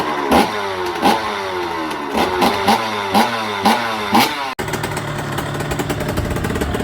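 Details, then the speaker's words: 2005 KTM SX85 two-stroke, just after a full engine rebuild, kick-started on choke with throttle blips. At fast idle there are sharp, crackly puffs between firings from a leaking exhaust gasket, so it wasn't sounding right before the gasket was replaced. "I actually had a problem with the exhaust gasket, so it wasn't sounding right."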